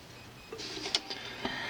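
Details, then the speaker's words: Dual CS-515 belt-drive turntable, arm moved toward platter: a few crisp clicks then a low steady motor hum as the lazy auto-start microswitch finally closes; switch dirty, out of adjustment or sticking from sitting, improving with exercise. "It just barely turns on there. It could be also that it's been sitting for a while and it just needs a little bit of exercising. Let's see if that helps. Yeah, I see that's already helping. You'll hear the click. Just doesn't want to click."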